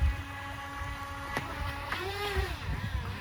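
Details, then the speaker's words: Pro Boat Riverine 22 twin-motor RC jetboat with upgraded, higher-torque motors: steady electric whine, then one pitch sweeps up and wavers with a squeal as one jet pump loses prime and cavitates. "yeah so one of them wasn't one of them wasn't prime didn't you hear that squeal yeah one of them wasn't primed so these things make a heck of a lot more torque than they used to so it's easy for them to loose prime"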